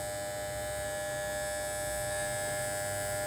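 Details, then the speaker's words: Andis T-Outliner trimmer after the sponge-and-screw silencing fix; even, steady high-pitched buzzing whine with no rattle or chatter, the right vibration, normal running. "Well, Lord, this is the right vibration I get now. Now back and nice. The right vibration, this for how you can use the machine. Really nice."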